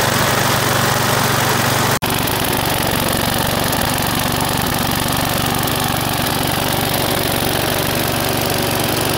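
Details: Australian-built Rover four-stroke single-cylinder mower engine, after laying on its side with oil-soaked spark plug cleaned, running at a steady, even speed with no knocks or misses, one momentary dropout; some initial smoke expected.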